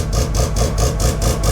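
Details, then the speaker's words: Mazda RX2 race car rotary engine, fired first time after sitting a couple of months, about 20 psi oil pressure: loud choppy idle pulsing evenly about five times a second, no misses or rattles; normal healthy idle. "there we go so fired first time off the key which is pretty good for a couple of months pretty good for a race car too means your engine is pretty healthy"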